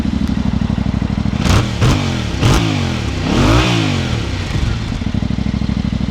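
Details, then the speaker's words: Yamaha Ténéré 700 with an aftermarket slip-on exhaust, no header change: deep, even rumble with clean rev blips, not too loud, no misfire or rattle; healthy exhaust note. "Okay, that's not mega loud, but that's a nice deep rumble. That's not bad."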